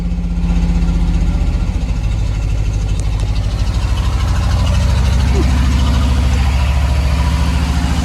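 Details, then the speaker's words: 2002 Chevy Silverado Vortec 5.3 LS V8 after a total cold start, unused for months: deep, steady idle with a firm, even beat, sounds healthy. Slight smoke at startup, owner suspects valve guide seals. "Sounds pretty good. I get a little bit of smoke at startup, but I think that's that typical Chevy valve guide seals or whatever."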